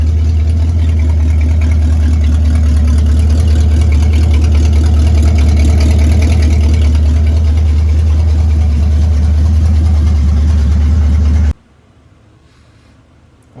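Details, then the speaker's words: 1966 Ford Mustang 289 V8 automatic barn find, off the road 46 years, with a new carburetor and battery, cooling system refilled, idle screw adjusted lower. Low, even idle with a steady rhythmic lope, no misses or knocks; healthy. "But other than that, it's running pretty good for sitting for 46 years. It's pretty amazing sitting here idling."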